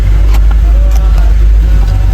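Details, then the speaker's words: Honda City: idle holds steady and well above normal with no dip or hunt, then drops to about 700 rpm when the aircon is switched on; high idle, IACV previously replaced with a suspected fake part. "Bumagsak ng PH00 700. Taas ng menor tapos bagsak pagka binuksan ng aircon."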